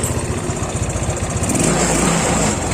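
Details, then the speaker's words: Yamaha Mio Sporty scooter that kept stalling, restarted after the fault was traced to a poorly connected ground (massa) connection: steady, even putter with no misses or stumbles; normal idle. "Hai bisa teman-teman lihat motornya sudah hidup normal lagi"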